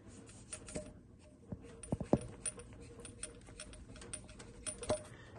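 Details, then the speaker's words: First-gen 12-valve Cummins with the engine front being disassembled, fan pulley removed and turned by hand: scattered sharp clicks and poor spinning; the pulley, with a loose bolt, is believed to be the cause of the engine's squeak. "And I think we found our squeak problem. And it doesn't really spin the best. So I'm thinking that if you can hear the clicking,"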